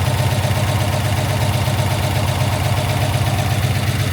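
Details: 20-foot Daimler Majestic Major Hemi V8 limousine, warmed up; deep, steady burble with an even firing beat and no misses or knocks, somewhat smoky exhaust, sounding healthy. Normal warm idle.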